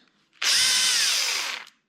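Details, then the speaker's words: Drill motor just after fitting new brushes (old brush missing, rust inside); high harsh gritty whine, pitch sagging as it runs down; a bit better but still horrible, rough noisy motor, cause not pinned down. "finally definitely sounds a bit better I think it just has more B now"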